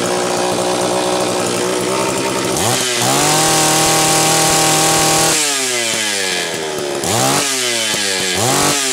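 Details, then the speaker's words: Homelite Super XL-925 chainsaw with good compression, double governed by a factory hole in the high-speed nozzle plus a side governor. When revved it climbs, then blubbers and sags at the top, loading up from the rich, governed high-speed setting. It will need tuning in wood. "so you heard it loading up because of the governor's set up this is going to have to be tuned in the wood"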